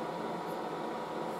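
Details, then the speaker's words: Late-1960s General Electric HD-8C bonnet hairdryer on low, warming up: a soft, steady airy rush with no rattle, tick or change in pitch; normal running on low. "it's actually pretty quiet very it's the quietest hairdryer"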